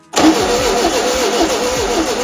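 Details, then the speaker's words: 1973 VW Super Beetle (model 1303) after 15 years sitting outside cranks at a steady few beats per second but never catches; fuel reaches cylinder, no spark found, distributor points and contacts suspected dirty or tarnished, not confirmed. "No spark, so let's look inside the distributor."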